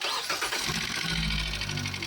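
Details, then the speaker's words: Hyundai Accent after repair with PCV valve and cam sensor refitted: quick crank and catch, then even steady idle; earlier misfire and knocking gone. "Um-start na itong makina. Nawala na yung palya pati yung knocking wala na rin."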